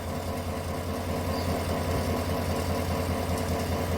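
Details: 2018 Chevrolet Tahoe V8 at idle with codes P0300 and P0208: low idle with an uneven stumble about 150 times a minute, a recurring skip suspected from cylinder 8 misfire and an injector 8 circuit fault, before spark plug change and injector cleaning.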